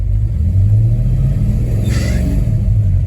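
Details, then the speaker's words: 1973 Mustang Mach 1 V8, Holley 750 CFM carburetor, lopey non-stock cam, still cold, choke likely off, idling in neutral about 570–580 rpm: couple of revs rise and fall cleanly, no rich-mixture misfire. "But in this case, I think the choke is off completely by now, and so I'm getting a smooth uptick on the engine a"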